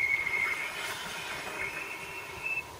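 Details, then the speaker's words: Mercedes C240 just fitted with new ceramic front pads, hard braking on test drive: harsh continuous high metallic squeal and scrape from the rear while rolling; rear pads worn to metal despite reportedly being replaced recently. "so I stood on the brakes you know stiffly and then all a sudden there was a horrible metallic noise continuously and that was coming from the back as you can hear something's not right"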